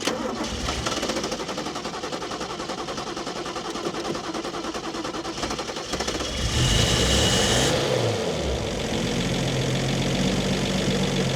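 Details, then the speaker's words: Toyota Cressida MX32 JDM bought from a wrecker, started with a weak starter: several seconds of cranking, then it catches with a rev and settles into a steady, even run; normal running after start. "that's running really good"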